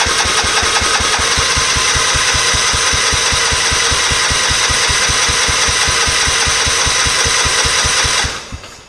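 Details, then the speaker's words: Scotts riding mower after cleaning dry-rotted gas cap rubber out of the tank: starter churns steadily about four beats a second for eight seconds, never catches; won't start on its own. "that should cover all the safeties as you can tell they didn't run didn't start on its own"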